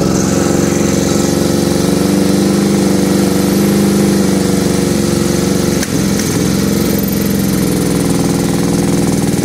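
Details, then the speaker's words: 2006 Kawasaki Brute Force 750 V-twin just after carburetor cleaning and refit, started with dry carbs, airbox off: lumpy, even idle with one brief stumble, otherwise steady; carb diaphragms bouncing, showing good seal. "I'm gonna see if we can get it to fire up here it usually turns over for a little bit because the carburetors are dry naturally"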